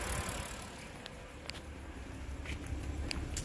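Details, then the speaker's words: BMW 328xi after fixing a cylinder 1 misfire by replacing the cylinder 1 coil and all spark plugs: low, even exhaust rumble at idle, no putt-putt stumble; runs smoothly. "and we can see that the exhaust is no longer giving us that putt putt sound"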